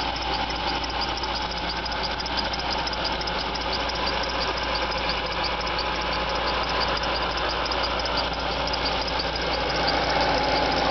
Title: Jaguar XJR (X308) - squeaking noise on cold start